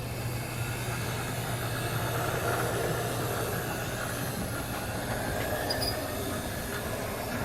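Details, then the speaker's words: Athearn GP40X model locomotive test-running at 50% power before lubrication: steady hum with rough gritty whir; dry drive suspected to need oil. "Definitely sounds like she needs some oil. Wow. Definitely needs some oil."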